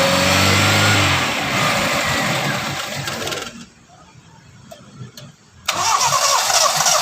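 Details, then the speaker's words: Toyota Starlet petrol engine idling just after an oil change, engine freshly started: smooth, even idle with no knocking or ticking; previously rough, possibly because the old oil was too thin, now quieter with new oil. "Suaranya juga beda ya. Kalau kemarin suaranya agak kasar, sekarang lumayan halus suaranya karena memang dari penggantian oli ini mempengaruhi dari suara dan juga apa ya, ibaratnya gesekan mesin juga lebih halus karena olinya juga oli baru gitu ya."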